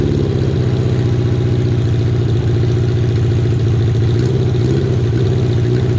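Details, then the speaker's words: Kawasaki KZ550, carburetor just reassembled with air screw set about half a turn out, cylinder one idling poorly only at idle: loud uneven lumpy idle stumbling and surging around a fast pulse; intake vacuum leak from a split intake boot. "Well, I feel kind of silly for missing that. That looks like there's a uh a bit of a split on the intake boot there."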